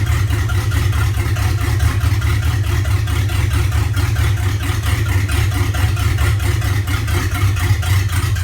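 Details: LQ4 V8 at idle with an uneven, lumpy pulse about four or five times a second instead of a smooth beat; rough idle.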